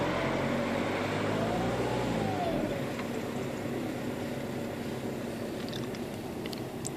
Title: 1.9 TDI (ARL) Turbo failure? (loud whine!!!)